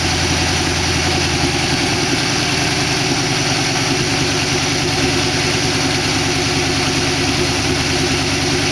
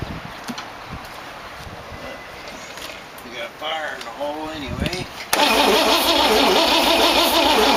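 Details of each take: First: 1962 Oldsmobile 392 V8 in a 1914 Dodge Brothers rat rod, after the lifter tick calmed. Even, steady idle with no ticking or misses; it sounds good. Run only briefly because there is no coolant in it. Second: 1914 Dodge Brothers rat rod with a 1962 Oldsmobile 392 V8 and Hydro. Short, uneven cranking bursts that never run; it kicked back and shot flame out of the carburetor, with the timing suspected way off.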